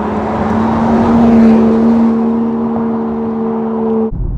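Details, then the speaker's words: 2024 Range Rover Sport P440e–P550e hybrid, 3.0 inline-six, aftermarket valved exhaust with valves open, heard at the rear. Deep, even drone with muscular undertones and some pops and crackles, no rattles or leaks; normal exhaust note. "I like that but you can hear it at the back of the car it gives it a nice SPO 40 sound with some muscular [Music] undertones and you even get a few pots and crackles to boot which is quite wonderful when you hear it"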